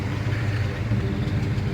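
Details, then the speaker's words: 1975 Chevy C10 Silverado V8, after 15 years sitting: even, loping low burble at idle with a steady beat, no misses or knocks; idles healthy. "this sounds good i like it it needs to be drove that's what tim was saying this truck needs to be drove"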